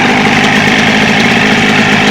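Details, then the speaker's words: Outboard on a restored 1970s 16-foot Smokercraft boat after a leaking telltale hose was replaced with new hose: a steady, even idle with a busy, buzzy note and no misses, knocks or surging. It runs smoothly. "This is the telltale. It's working really good now. I put a new piece of hose on it."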